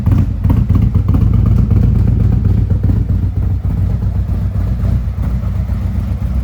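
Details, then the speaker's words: 2017 Harley-Davidson Ultra Limited 107 V-twin with a new Thundermax EFI and Bassani exhaust, just started after fuel pump work, still settling and warming: lumpy but even idle, about four pulses a second, tone changing as it warms, no knocks or misses; normal idle. "You'll notice as the temperature goes up, it starts acting a little bit better. hear the tone of the engine changing as it warms up"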